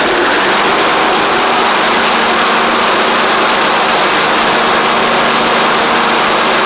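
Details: Troy-Bilt Horse XP riding mower with a new replacement engine, running, driving and cutting after a little trouble cranking. Smooth, steady drone at constant speed with no misses, knocks or surging; the engine runs normally.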